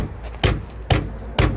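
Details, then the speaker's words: Ford Mondeo Mk4 with front wheel rocked by hand, three sharp dull knocks about half a second apart from play in the steering rack, not the control arm or tie rod end. "w koło ewidentnie słychać luz słyszycie ten dźwięk No to przecież nie jest to wahacz nie jest to końcówka ewidentnie słychać jak pukam czyli uderzam w drążek kierowniczy i uderza rozdzielacz o zęby"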